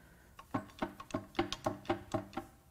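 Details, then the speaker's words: Ford Taurus SHO 3.5 EcoBoost V6 during teardown, plugs removed, crank turned by hand: hollow clunks about four per second as loose internal parts rattle inside the engine; not locked up. "come in it actually sounds like something wants out we'll go all the way over oh man stuff is loose in there"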